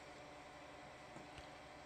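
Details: 22-year-old PC, Inno3D GeForce2 MX400 graphics card, running at POST: quiet steady whirring drone with faint buzzy tone, no speed change; noisy graphics card fan.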